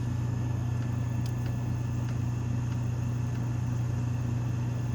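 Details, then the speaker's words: Camper rooftop AC unit powered by a Bluetti AC200MAX, fan spun up first, then compressor switched on: steady low hum with constant fan rush at full fan, no rattles or cycling; running normally. "can hear, I don't know if this camera is picking it up, but the fans are in full swing right now."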